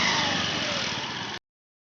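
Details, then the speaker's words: Honda Beat Street scooter with a rattling CVT noise at idle, after the roller housing and rollers were replaced: brief smooth even rev with no rattle or knock from the belt drive; noise gone, normal CVT revving. "Oke untuk suara tripbase dah ilang maka menandakan pekerjaan ini sudah berhasil nya"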